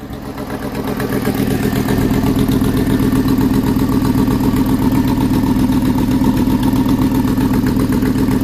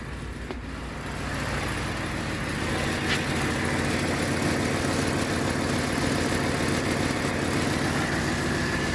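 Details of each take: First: Ford F-150 5.4 Triton 3V V8 at idle before repair: steady sharp ticking puff in time with the firing, about four a second; exhaust manifold leaking due to broken studs, fixed by replacing the manifold. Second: Ford F-150 5.4 Triton 3V V8 after replacing exhaust manifold with broken studs; smooth even idle, steady low rumble, no ticking or exhaust puffing, previous noise gone, sounds like new.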